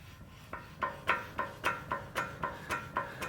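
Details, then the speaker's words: 2005 Toyota Tacoma Pre-Runner SR5 2WD brake caliper with anti-rattle springs missing or broken: quick metallic clacks, about four a second, as the loose brake pads rattle inside the caliper. "toyota calls it anti-rattle do you hear that these are actually the brake pads rattling inside of that caliper"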